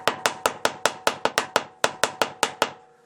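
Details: Hammer taps on the floor pan of a 28-year-old Opel Vectra A, checked from the service pit during a muffler replacement: about fifteen sharp, firm ringing taps, two to three a second; floor solid with no rust-through.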